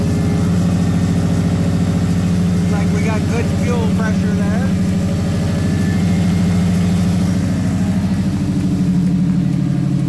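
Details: Subaru Baja after reinstalling fuel pump assembly with new OEM-style seal, primed: fires up and settles into a steady, even low idle with no stumbles or misses; normal idle.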